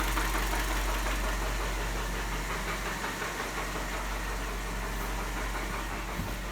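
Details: Mini One 1.4 16v engine running with a hollow, fairly even knocking rattle about three a second: piston slap from wear.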